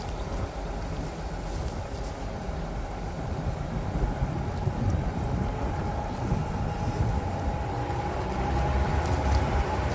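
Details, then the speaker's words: Pickup truck (owner compares to Ford/RAM) recorded by a camera at the rear while slowly circling a roundabout: steady low road and tyre rumble with engine drone, no squeak or creak from rear springs; the previously heard rear noise seems gone. "Okay, so there you have it. I could not hear it at all from the inside. So if you heard anything from the outside, it's not the noise I'm hearing, or it's been reduced so much that it's no longer making it into the cab of the truck."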